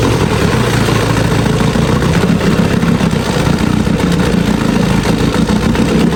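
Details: Free old Evinrude Sport Twin two-stroke outboard, after years in storage, running after carburetor cleaning and new gas lines: steady, even low burble with no misses, pumping water well; normal idle.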